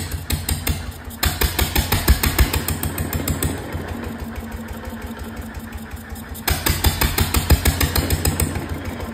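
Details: 1925 National 5V petrol-paraffin engine on its first run in decades, with fuel, cooling and governor unset and no exhaust fitted: loud, raw bangs about three a second in surges and lulls; rough untuned running.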